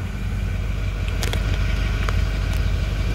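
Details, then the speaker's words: 2008 Ford F-450 King Ranch 6.4 diesel, 128,000 miles, cold start after four or five days at about 60°F: deep steady rumble, smooth and even through rev, no knock, miss or smoke, no engine lights; healthy. "sounds good sounds healthy there's no engine lights on"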